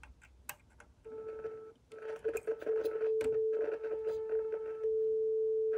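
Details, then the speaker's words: Loewe Opta Rheinperle 4716W tube radio under restoration, 400 Hz signal injected at the output tube anode: clean steady tone from the speaker amid handling clicks, showing the output transformer passes signal fine. "so here's our audio signal so that tells us that the output generator is doing just fine"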